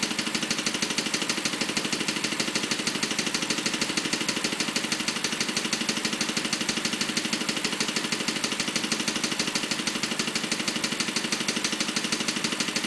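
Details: BMW 545 at idle: a sharp, even tick about three times a second over a steady idle, a mechanical clicking whose source is unknown and needs tracing.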